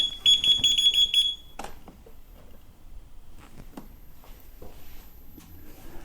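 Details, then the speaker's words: Kingsong KS18XL electric unicycle powered on right after a firmware 2.0 update: rapid high-pitched beeps about three a second for over a second signal that it needs recalibration. "look what I might have I think that might have been a calibration yes I'm gonna have to recalibrate"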